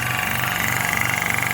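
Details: Hill EC-3000 EVO high-pressure compressor, first run, set to 300 bar, filling a 1-litre bottle from 180 bar with fan running: steady even hum, light high whistle, soft regular pulsing, no knocks or rattles; running normally.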